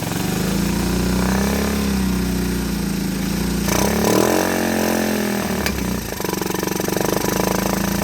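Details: 1984 Honda ATC 125 trike in neutral, just after a carburetor swap and fuel tank flush, having likely sat a good while. A small single thumps at a steady, even idle with a clean, unchanging note; normal healthy idle.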